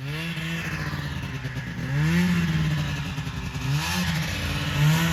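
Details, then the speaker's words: 1980 Yamaha Exciter snowmobile, revived after sitting 19 years, pulling through the first snow: buzzy two-stroke rises and falls cleanly with throttle, no misfires or rattles; normal running under load. "so sounds all right yeah sounds good man so yeah hopefully a lot more of this white stuff to come this year"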